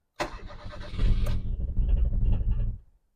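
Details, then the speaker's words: Neglected, badly rusted project car, clutch in, starting on the key: engine catches, runs rough for about two and a half seconds, then dies abruptly; started but stalled straight away. "started on the button but died straight away"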